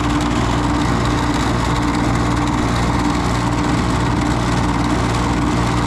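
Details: Carrier GasPack unit, not heating, after a motor was replaced: even, steady motor hum with a smooth low drone and no knocks or squeals; runs healthy.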